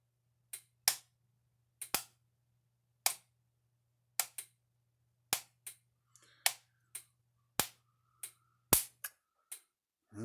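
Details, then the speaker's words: Gallagher M1500 electric fence charger under repair, powered on after fitting two 5-watt resistors: sharp uneven snaps about once a second with no steady clicking rhythm; arcing inside at the undersized resistors, 10-watt 10-ohm resistor needed. "you can see it was arcing inside of here i thought two five watt resistors would work but i guess not it was arcing over here as well"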